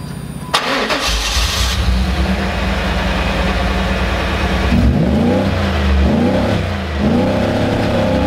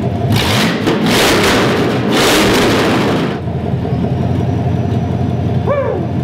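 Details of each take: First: 1994 Pontiac Trans Am with power loss, muffler ruled out: revs swell then sag back, reaching 4000 rpm briefly, falling to 3000 and unable to exceed 3000; plugged catalytic converter found as cause. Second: 1994 Pontiac Trans Am with headers dropped, exhaust fully open, previously unable to rev past 3000 rpm: loud open revs climb and fall quickly then settle to even idle; revs freely, plugged catalytic converter confirmed.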